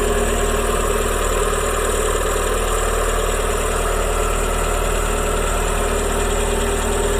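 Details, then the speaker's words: Renault Twingo 1 Initiale, just started after reassembly following 18 months off the road: even steady idle, smooth low thrum, no knocks or misses; engine running fine, seemingly livelier than usual. "j'ai mis le moteur en route à l'instant je remarque rien d'anormal elle tombe très bien dirais même qu'elle avait plus de pêche que"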